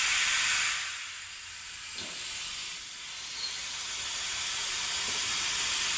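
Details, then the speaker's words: Air-driven vacuum extractor pulling hydraulic fluid from a John Deere 110TLB at 4100 hours during a hydraulic oil change: even airy hiss throughout with no motor beneath it; pulling vacuum normally. "So you're gonna hear the hissing here. Hold on. It's gonna be hissy. This thing's gonna have a little hissy fit on us."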